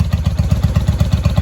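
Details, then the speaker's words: 1995 Honda Shadow VLX VT600CD, first start after cleaning switch contacts and rewiring, spark restored, carbs fuelled, air filter off: slow loping V-twin beat with loud unmuffled bark, no skips or rattles; idling fine. "We already had gas in the carburetors before. Now that we have spark, she fired right off."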